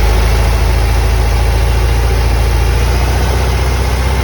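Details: 1990 VW Vanagon cold start: a heavy low rumble with a loud, rough repeating knock about three a second that lessens after about 10 minutes; cause unknown.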